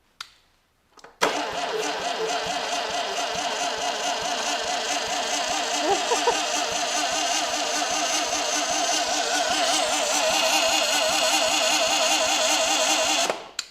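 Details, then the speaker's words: Crusty 36 hp air-cooled VW engine cranked on the starter without firing, spinning at a steady even rate for about twelve seconds; turns over freely, not seized. "I'm not going to fire it I just want to make sure that it'll crank"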